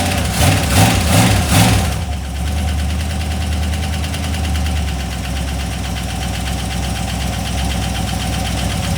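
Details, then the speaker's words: Used GM LS 4.8 LR4 V8 on a run stand, carbureted, sludgy oil, first minute after start with cooling not connected: rough idle with a light regular tick about two to three per second; source unconfirmed. "so there's a little noise I haven't even show off yet but a little bit of noise but it's not that bad"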